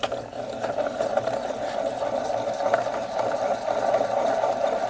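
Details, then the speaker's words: Villiers 9E engine from a Penguin amphibious ATV, crank turned by hand during teardown: steady gritty grinding rumble, slight up-and-down play; rough crankshaft main bearings, needs new crankshaft bearings. "I would say those bearings are rough that's why they're making that noise so I think this engine's going to need crankshaft bearings not good"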